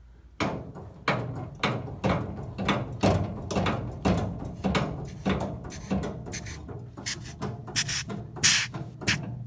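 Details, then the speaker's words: Ferrari 250 GTE brake booster on a vacuum test machine: soft irregular air chuffs about every half second as vacuum is cycled, no leak hiss; booster holds residual vacuum, does not leak, works normally. "you can hear it chuffing, which is correct, what the booster is supposed to do. So holds pressure, does not leak."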